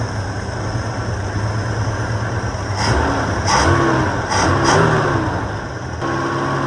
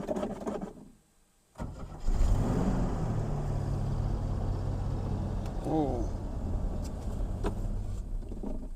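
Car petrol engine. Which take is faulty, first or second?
second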